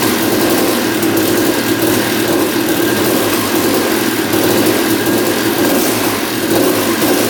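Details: 1989 Honda CR250 two-stroke that had been sitting, first start after carb cleaning: loud busy run with a rough rattle mixed into the exhaust note from down low; engine seen moving in frame, loose engine mounts suspected, cause unknown.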